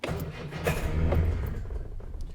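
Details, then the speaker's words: Car not on the road for a long while, cranking on a jump pack with low volts; the choke cable has fallen out and there is no enrichment: engine turns over and coughs but won't catch, sounding distinctly under-choked; lean cranking due to no choke. "yes that's sounding distinctly under choked so choke or enrichment oh yes that's fallen out um it makes the car run richer"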